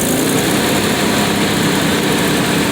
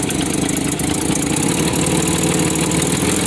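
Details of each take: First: 1993 Nissan Pathfinder 4x4, 205k miles, manual 5-speed, exhaust manifold leak, loss of power suspected from injector; steady even idle with no ticking, rattling or whirring from front; rules out timing chain tensioner bearing failure; normal idle. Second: 1993 Nissan Pathfinder 4x4, 5-speed manual, 205k miles, lifted, power loss: steady idle with fast raspy puffing tick riding over each firing; leaking exhaust manifold.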